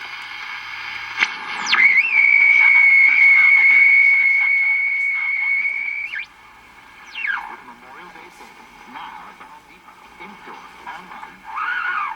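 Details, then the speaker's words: Old tube radio with replacement tubes, run from a 125 VAC isolation transformer: a steady high whistle over thin, tinny audio fading into crackly warbling tones; no improvement in the sound, cause unclear. "i don't see it making any improvements on the sound of it"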